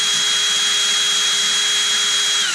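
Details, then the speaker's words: Erbauer 18V brushless drill on a generic AliExpress replacement driver board, direction switch wired to the board, running anticlockwise with no variable speed yet: steady high whine at constant pitch, then dropping away on release; runs normally. "And if I turn it the other way, it's now going anticlockwise to the motor."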